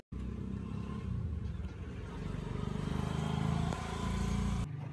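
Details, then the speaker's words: Yamaha Mio GT fuel-injected scooter that had stalled with MIL codes 22 and 15, after refitting the MAP sensor and throttle body: engine catches at once and runs an even, steady beat with a brief rev rise, no misses; normal start and idle. "Nah alhasil motor nyala kembali dengan normal"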